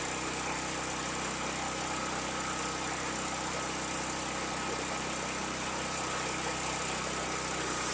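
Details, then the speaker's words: New Firman HO7552 dual-fuel generator, about 430 cc, running on gasoline after first start with fresh gas and oil, choke used: steady, even single-cylinder drone under no load, no knocks or misses; fires up and sounds good. "But fires up, sounds good."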